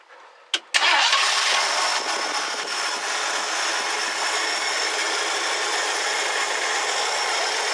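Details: 1969 Ford Club Wagon barn find, fed from a gas can on a temporary fuel line: brief starter whirr, then it catches and settles into a steady, even hum with no misses; starts and idles normally.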